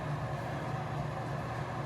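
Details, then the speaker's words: Bathroom exhaust fan running with weak suction, barely holding a tissue: steady low hum with dull whooshing rush, no rattle; dirty or not spinning fast enough, blades later scraped clean to improve airflow. "it's dirty or it's not spinning fast enough"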